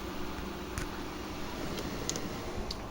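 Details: GE 5050 BTU window air conditioner made May 2018 (R410A, 9.17 oz), installed, running on low cool: steady soft hum with an even fan hiss and no rattles or cycling. The compressor and blower run normally.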